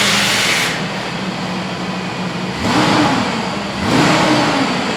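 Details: GMC Yukon Denali 6.0 V8 after a PCM replacement for a no-crank fault: it fires, settles, then two clean throttle blips rise and fall smoothly while still cold before warm-up; it sounds healthy and strong.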